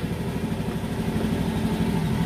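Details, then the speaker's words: 2018 Honda Beat scooter at idle, no MIL fault codes: steady even low putter without misses; idle healthy, though it loses power on sudden throttle at high rpm, suspected TPS fault. "sekarang kita tes kita Nyalakan pada saat motor stasioner ya kondisi yang bagus pada sangat bagus sekali"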